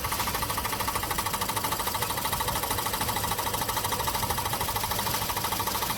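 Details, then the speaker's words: 2017 Ford Escape 1.5L running with a rapid, even rod-knock-like knocking at the turbo; vacuum wastegate actuator has a busted diaphragm, cannot hold vacuum and slaps back to its starting position. "well in this video I've got a little audio and visual for you of a turbo that's actually making a knocking noise it's almost like a rapid rod knock type noise"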